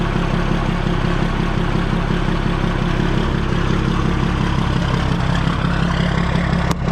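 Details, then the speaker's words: Older S Series 2300 semi truck with L10 diesel and new belt, low on fuel: settles into an even, steady clattering idle with no misses or knocks; sounds good. "Yeah, it sounds good."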